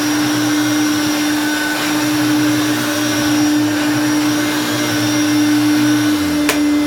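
Even, constant motor hum with a steady pitch, no knocking or scraping; the motor runs smoothly and healthily.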